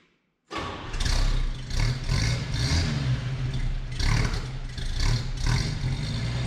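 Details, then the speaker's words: 1962 Chevy C10 on a lift, just fitted with a $40 eBay single-exhaust kit: deep, loud V8 burble catches right away, takes throttle blips and runs evenly. Still a little rich and louder than hoped, blamed on the cheap muffler. "Mucho better. Still runs a little rich, but it's not as quiet as I wanted."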